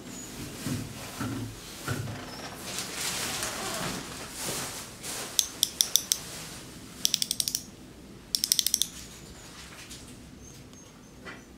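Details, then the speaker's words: Overwound music box after oiling: ratcheting winding clicks, then short bursts of plucked notes that die out; movement stalls and won't start on its own. "so you can hear it on the side right and what's going on right now is that it's not starting on its own"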